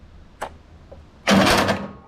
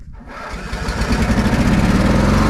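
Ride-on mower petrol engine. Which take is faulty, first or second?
first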